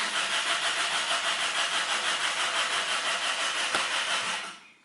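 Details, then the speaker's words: A car that won't start, before its spark plug cables are replaced; the owner suspects the cables. The starter spins the engine evenly at about three turns a second for over four seconds, but it never fires. Crank, no start. "now no any starter engine no any engine runs only sputter roms and rotates this engine ok and what to do then"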